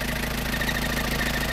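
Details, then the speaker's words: Isuzu Panther diesel at idle: rapid high chirping squeak repeating over a steady idle, suspected to be a slipping fan belt, possibly the AC belt, which is to be replaced; belt squeal at idle. "ya itu suara fanbell nanti kita gantiin suara fanbellnya ya itu kayaknya fanbell ac-nya memang masih ini banget ngeganggu"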